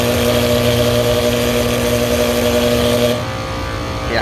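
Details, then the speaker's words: Kitchen AC unit: loud, steady electrical buzz with a rough rattling edge over the running noise; contactor buzzing and chattering. "Ooh, listen to that, man. That does not sound good."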